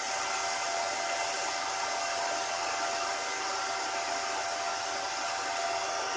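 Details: Bitmain AntMiner S9 Batch 3 (12.93 TH) on an alternative PSU, still booting with fault light blinking: constant loud rushing fan roar, no rattles, rubbing or speed hunting; fans flat out, normal startup fan noise.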